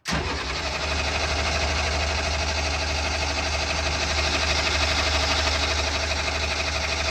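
Heavy diesel churning over steadily at about three beats a second but never catching; cranks without firing, likely a fuel delivery issue.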